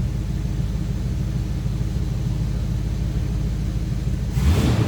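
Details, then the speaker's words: 1938 Ford Deluxe Convertible street rod just after a cold start, idling with exhaust routed through the mufflers (bypass closed), oil pressure up; deep, steady low rumble with even firing and no knocks or misses, normal idle. "Now, you can hear that. That is with the mufflers being used, exhaust is going through the mufflers."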